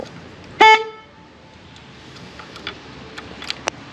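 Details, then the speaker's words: Honda CB550 motorcycle with an old solenoid and a battery suspected of being weak: the horn gives one short, clear, steady mid-pitched toot with a clean cutoff. The horn works when given enough power. "So that's just, we got the horn working, but the light goes off."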